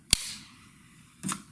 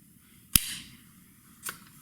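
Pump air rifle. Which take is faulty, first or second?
first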